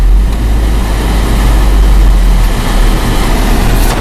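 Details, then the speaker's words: 2001 Chevy S10, four-cylinder, engine running after the blower motor was replaced: steady idle and fan rush with no squealing, whining or screeching; the blower now works normally. "let's go and turn on the lower motor and as you can hear no squealing works perfectly"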